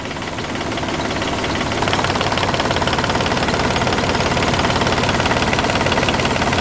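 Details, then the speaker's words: Yanmar 38 hp inboard marine diesel idling after start, owner complained of too much vibration and asked if it fires on all cylinders: steady, slightly heavy pulse, rougher than it should be; seems to fire on all cylinders, cause unconfirmed, idle adjustment planned. "let's just start it up as you can see it is vibrating a lot it's normal that you have some vibration but this it sounds and looks like it's a little bit too"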